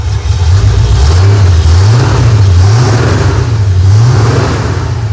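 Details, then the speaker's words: 1972 Chevrolet C10 after a used four-core radiator was fitted to cure overheating at idle, running off a fuel can: the engine revs up and settles back several times, pitch rising and falling smoothly with no misses, knocks or stumbles. "Sounds pretty darn good. Show you guys what it sounds like at the back of the truck."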